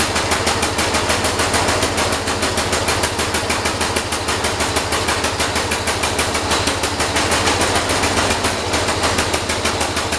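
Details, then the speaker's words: John Deere 212 tractor engine after carburetor adjustment, starting at full throttle with throttle not springing back: loud uneven running with sharp popping about three per second, not settling to idle; cause unknown. "I think we got to play with it some more something's not right something is definitely not right"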